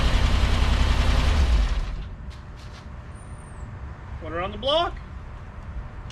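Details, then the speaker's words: 1957 Chevy Bel Air V8, revived after sitting in a field, oil pressure and fuel system fixed: deep even rumble for about two seconds before cutting out; quiet motor with good oil pressure, possibly a mild cam; normal running. "got lots of oil pressure motor seems pretty quiet sounds like it might have a bit of a camshaft in it"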